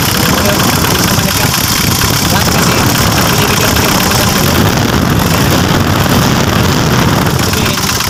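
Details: Mitsubishi L300 with a 4D56 diesel, after fuel pump assembly work for low power, rough running and stalling; it was slow to start. Now a loud, dense, even diesel clatter with no stumbling; normal running.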